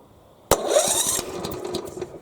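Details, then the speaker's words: Hyundai HYM510SPE lawnmower electric starter test with spark plug cap removed so the engine won't start: sharp engagement, then quick whirring spin with rhythmic chug; the starter engages and turns the engine over freely, normal. "does that tells me that everything is now working correctly"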